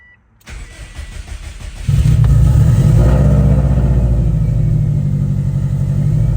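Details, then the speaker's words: 2003 Subaru WRX engine swapped into a blobeye with new timing components and shims, first start, crank sensor just reconnected: brief crank, catches cleanly, steady even idle with no misses or knocks; runs about 5 minutes while bleeding coolant, small exhaust leak noted. "good sounds pretty good I should been running for about 5 minutes bleeding cooling slowly looks good though"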